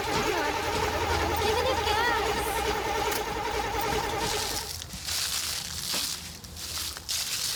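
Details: Camaro Z28 just picked up from a repair shop: the starter turns the engine over at an even, steady cranking beat for several seconds, but it never fires. Crank, no start.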